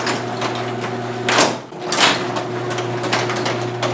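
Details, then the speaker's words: New Chamberlain C450 chain-drive garage door opener, auto-reverse safety test: steady hum, solid clunk as closing door hits a 2x4 in its path, then runs back up, reversing normally. "it should automatically reverse"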